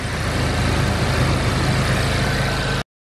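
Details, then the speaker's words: Smooth, steady idle with a low rumble and no ticking, knocking or turbo whistle on a Mk7 Golf GTI just after installing an IS38 (OEM Mk7 Golf R) turbo; slight initial smoke from fingerprints on turbo and downpipe; normal idle. "Car is running. Very nice. Sounds nice and smooth."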